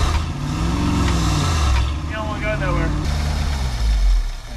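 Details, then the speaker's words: 1971 Ford F600 manual U-Haul box truck, long-stored, carburetor just refitted, in reverse: low heavy engine note drags and wavers, revs sagging as load comes on, truck not moving; engine labouring under load, cause unconfirmed. "I was trying reverse there, but you could hear it struggling. It wasn't doing nothing."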